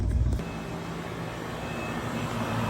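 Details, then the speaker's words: 30+ year-old AC outdoor unit after replacing two capacitors (20 MFD 370/440V and 5 MFD 370V) and fixing wiring; steady low hum, fan turning evenly, no clatter or buzzing, blowing hot air; normal running. "we fixed it it's blowing hot air and that feels cool yes"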